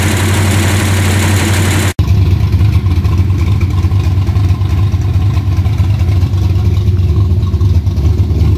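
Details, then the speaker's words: Freshly built small-block Chevy V8 for a truck at idle during break-in: a deep, loud, even, lumpy rumble with no knocks or ticks. Cam fine, carburetors need tuning, timing 34° locked out, needs plugs, wires and an advance curve. "There's another successful engine break-in. Cam's fine. Carburetors need a little fine tuning."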